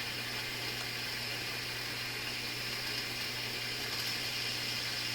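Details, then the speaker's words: Philips console stereo tube receiver on first checkout under restricted power, on AM, before any tube wiggling: irregular crackle and hiss over a steady low hum with clicky sounds; audio crackling, cause not yet found. "I haven't wiggled any tubes or done anything yet. You hear some crackling."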